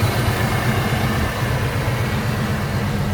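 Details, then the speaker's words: 1990 GMC Jimmy 4x4, rebuilt 5.7 EFI V8, about 45,000 mi since build, headers, Airaid cold air intake, dual exhaust with mellow mufflers and dual cats: smooth, deep even idle, mellow exhaust, no ticking, knocking, whine or smoke; normal idle. "Not loud, nice and mellow. It's got a set of, pretty mellow mufflers on it, so you can hear it. No smoke, nothing strange."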